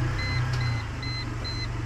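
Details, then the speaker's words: Mercedes that knocked when steering after hitting a big pothole: after a temporary fix to the wheel/rim, steering at full lock with throttle gives smooth idle, chime beeping twice a second, no knocks. "Вот сюда вот я вывернул максимально как раньше нажимаю на ГАЗ стуков нет"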